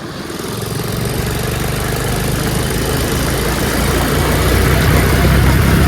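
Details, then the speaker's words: Revived Tao Tao 125cc ATV quad with a new carburetor, ignition switch, stator and pickup, ridden slowly in the rain. Its steady, quiet engine drone builds gently pulling away and climbing curbs, with even firing and no knocks or rattles. Running normally. "going super quiet though super quiet of course it goes over launch like nothing curbs too awesome it's awesome"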